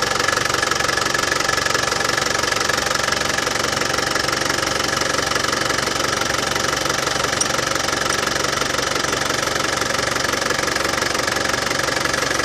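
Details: Land Rover Defender 200TDi after power steering pump replacement and bleeding: steady, even diesel clatter at idle with no rattle; the new pump cured the earlier rattle: normal idle.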